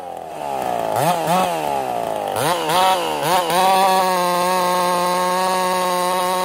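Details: Ported Husqvarna 55 chainsaw: revs in rising bursts then holds a steady high note that tops out low, lacking power; lost over 1,000 RPM in about half a tank, new coil didn't fix it.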